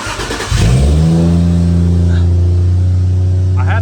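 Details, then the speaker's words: Toyota Soarer petrol engine cranks briefly, catches cleanly and settles into a steady, even idle with no stumble, after a junkyard replacement coil pack was fitted to cylinder 5; the misfire is gone and the engine runs normally. "but there's no more misfire engine sounds really good so i'll have to figure out the tech issue"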